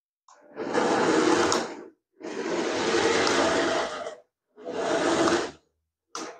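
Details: Nikko 9045 RC Teenage Mutant Ninja Turtle Party Van, a charity shop find, 2.4 GHz, tested with its matching controller after resoldering a joint. Four short bursts of even whirring, forwards then backwards, with smooth motor pitch and no gear clicking. Normal gearbox running.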